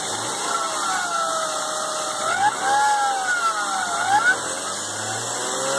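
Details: BMW E36 M3 running engine, high whine rising and falling with revs from a rough idler pulley bearing; replacing the alternator did not help, replacing the main tensioner and pulley cured it, and the removed pulley felt rough when spun by hand.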